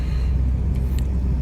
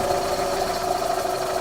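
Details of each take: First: 2001–2004 Chevy Optra after replacing strut and torn-boot CV axle, driving while turning right: only even low road rumble, no clunks or knocks; the clunk came from the CV axle, now fixed; normal driving. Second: 2001–04 Chevy Optra running: a light, even ticking over the engine noise from a worn front CV axle with a torn rubber boot, visibly moving. The axle is to be replaced.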